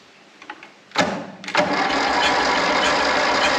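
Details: Grey Ferguson TEA20 tractor, first start, jumper leads and brake cleaner as starting aid: catches and runs rough and uneven, about 200 beats a minute; owner thinks one of four cylinders wasn't firing.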